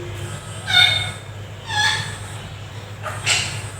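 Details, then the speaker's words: Handheld metal detector that detects metal but gives no beep alarm, tested in vibration mode: three short buzzy pulses about a second apart over low hum; buzzer or its voltage regulator suspected faulty, not confirmed. "तो vibration mode में ये beep सुनाई दे रही है। इसका मतलब है इसकी सिर्फ या तो बज़र ख़राब है या बज़र का जो रेगुलेटर होता है जो उसको वोल्टेज जो है वो फ्राहम करता है बीप के लिए, वो ख़राब हो चुका है।"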